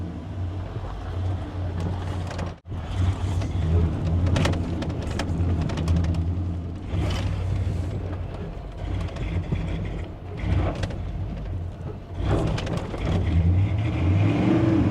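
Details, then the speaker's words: 1984 Monte Carlo SS barn find on a test drive after work: rough, uneven running with surges, a sudden cut-out, then ragged pickup. Stumbles and sputters under load, worse than before; owner suspects injectors or air/fuel starvation, unconfirmed. "You hear it? It's like it's starving for air now, or fuel, which doesn't make a whole lot of sense."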